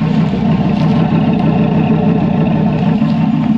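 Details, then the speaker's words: Dodge Ram SRT-10 with 8.3 L Viper V10 at idle: deep idle with an uneven, loping beat of about three pulses a second; owner suspects a misfiring spark plug or coil pack and that it needs a service. "as you can hear it probably could do with a little bit of a service sounds like uh maybe one of the plugs is missing one of the coil packs is missing"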